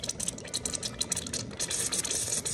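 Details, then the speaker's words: New 2023 Hydropool Self-Clean hot tub, air-locked circulation pump line: sharp hiss with bubbling and gurgling as trapped air escapes through the unscrewed filter compartment; the pump hummed without moving water. "and we can see the bubbles happening here and ultimately if we've done it right you can hear the air hissing Out"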